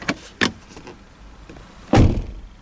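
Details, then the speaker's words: 2022 MG 5 EV estate: closing the door even very gently gives a dull thump with a short buzzy rattle trailing after, a trim or panel vibration seemingly from the A-pillar area. "do you hear that noise every time i close the door guys it's coming from this direction that's what i know it looks like it's either from the a-pillar or it's from here somewhere"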